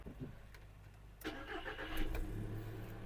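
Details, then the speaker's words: 2006 VW Golf Plus 1.6 MPI petrol with 176,000 km: the starter cranks briefly and the engine starts first try into a quiet, even idle with no smoke, no misfire and no dashboard errors. A healthy start. "автомобіль завівся зпівтику ніяких помилок на приборній панелі немає працює тихо рівно не димить не троїть"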